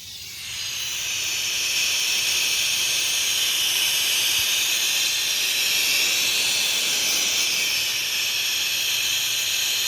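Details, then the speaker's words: 1990 Toyota Supra MK3 JZA70 twin turbo, 2JZ, engine off with the intake pressurised: steady airy high hiss of boost leaking past a cheap blow-off valve whose snap ring under-presses the O-ring seal; options: genuine snap ring or weld shut. "This is not putting enough positive pressure on the O-ring seal under there, and it's leaking all the boost out of this right here. If you take a listen, we're putting boost in it."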